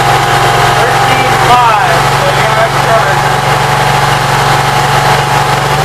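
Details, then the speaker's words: Cold Briggs & Stratton Vanguard engine on a Briggs carburetor, run only 5–10 minutes after rewiring, idling smoothly and evenly with a steady low drone, no knocks or surging; battery voltage rises from 12.53 to about 13.3–14 V; normal idle. "Everything seems like it's working. I have no complaints. Runs pretty good."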